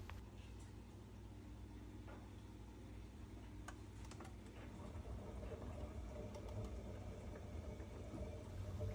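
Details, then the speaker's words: Worcester Bosch 30i ErP boiler with no heating or hot water and fault code EA227, running after a reset: uneven gurgling and sloshing like a washing machine. "we can hear it sounds like a washing machine in there so we're going to whip the case off"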